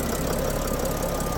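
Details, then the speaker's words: 2014 Leisure Travel Vans Unity, Mercedes Sprinter diesel, nearly 70,000 miles, after EGR valve cleaning for low power; previously idled unevenly: short stretch of steady, fairly even diesel idle clatter, no obvious stumble; running much better, normal idle. "funny uh uneven sound um so this is definitely running much better"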